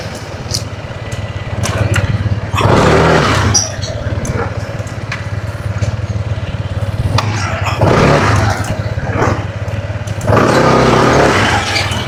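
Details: Two-year-old Honda ADV 160 scooter unused for two months, started on a weak, drained battery, run to recharge: small single-cylinder putter idling steadily between short throttle blips; engine runs fine.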